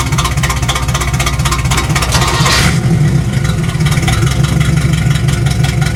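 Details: KITT project car during tuning, vacuum lines being checked: loud, uneven running with a lumpy, unsteady beat at low revs and shaking; poorly tuned, with bad gas in the tank questioned as a cause.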